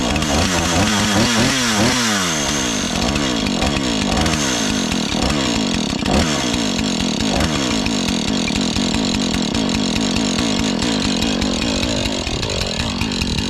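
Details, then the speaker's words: Husqvarna 435 X-Torq chainsaw, reassembled after freeing a stuck chain brake, fires up, revs rise and settle, then holds a steady even idle without stalling, finally staying on after being run a bit. "here we go it's finally staying on now just needed to be around a bit"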